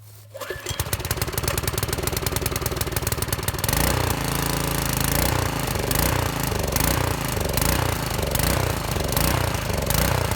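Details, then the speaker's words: Briggs & Stratton 4-stroke on a rototiller, fresh new gas tank: engine starts then speed rises and falls about once a second; surging attributed to dirt or a plug in the carburetor, possibly fuel line; carburetor to be cleaned. "so generally when you have a surge like that in your engine it means you have some kind of dirt or plug in your carburetor maybe your fuel line somewhere"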